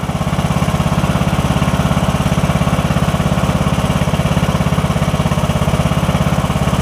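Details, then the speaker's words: Briggs & Stratton OHV single riding mower that was hard to turn over, after replacing the camshaft with faulty compression release: steady, even thumping with no misses or knocks; runs cleanly, holds speed, normal running. "to do its thing here for a minute or two all right that sounds good we're going for about a minute now"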